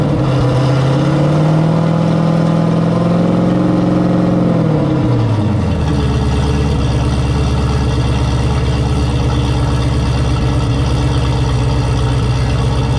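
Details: 1200hp turbo Camaro ("Cowmaro") on its first fire-up in a while, with fresh oil, warmed to operating temperature with coolant about 190°F: a deep, even rumble eases off a rev into a steady, smooth idle with no knocks or misses. Sounds healthy.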